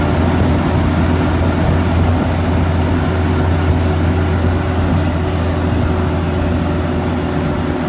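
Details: M151A2 Mutt on a road drive after greasing the propeller-shaft U-joints that could be reached, done because the owner suspected they caused earlier vibration: even engine drone and steady road rumble, no clunks or squeaks from the driveline. Now much quieter and normal.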